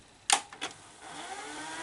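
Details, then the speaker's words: Customer's Sony SL-HF600 VCR after replacing bad capacitors on the circuit board: stop then rewind pressed, two button clicks and a faint whir climbing in pitch as reels spin up; rewind now works, fast forward always did. "we now have rewind and we always had fast forward so we always have that"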